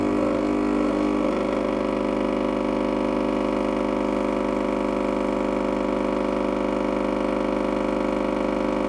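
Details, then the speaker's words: Gaggia Espresso Deluxe PID espresso machine pulling a shot: steady even vibratory pump buzz with no three-way solenoid click or cut-off, so it keeps dripping after the shot; normal pump running. "Et comme vous pouvez l'entendre, vous n'entendez aucun solénoïde à trois voies impliqué ; il n'y a rien qui coupe."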